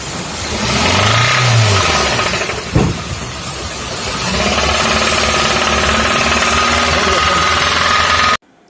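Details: Hyundai i10 engine revving: loose, uneven knock about three to four per second over the engine; worn connecting rod bearings knocking, head being removed for repair.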